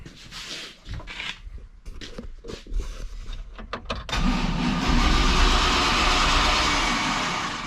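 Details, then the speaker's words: 1971 Chevy C10 with a stock 5.3 LS from a 2000 Silverado (stock tune, HP Tuners) on a newly fitted fuel system: clicks, then the starter spins the engine evenly without firing; normal cranking. "they're cranks over that's a good sign"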